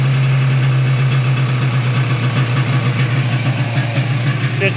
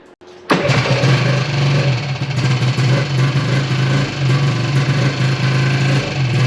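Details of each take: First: 1995 Yamaha Phazer 2 two-stroke snowmobile after sitting five years, dry carbs, started on choke with the track off the ground: a steady, even buzz at one low pitch without stumbles, running pretty good. The carbs later still needed cleaning. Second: 1995 Yamaha Phazer 2 snowmobile, two-stroke, started after sitting five years, stand lowered to get fuel to the pickup: low burble surging and dipping, uneven and lean-sounding; poor running, owner unsure if low tank fuel or dirty carb jet.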